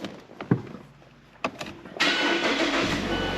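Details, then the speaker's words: Mechanically totaled Mazda 6, sat for a while, started indoors: few clicks and clunks, then catches and settles into an even steady run without knocks; sounds healthy, though a check engine light comes on. "see it starts right up, it runs. We are greeted with a check engine light there. And it actually sounds pretty healthy."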